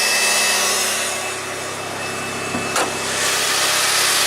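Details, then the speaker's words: Vehicle with about 160,000 on the odometer, check engine light and recurring secondary air injection pump code: steady even whirring hiss over idle right after start; secondary air pump audibly running and working. "and the cold keeps on popping up for secondary air injection pump well in second you can hear it Ron"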